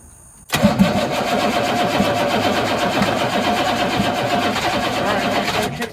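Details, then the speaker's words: 1983 Chevrolet squarebody 6.2 diesel, not run in years, injector lines cracked open to bleed air, fuel reaching return: steady cranking about five seconds with rough clatter as cylinders begin catching, then cuts off; starting to fire, pump may be good. "it cut off it's starting to fire I don't want to fire right now wow pump might be good wow she might run"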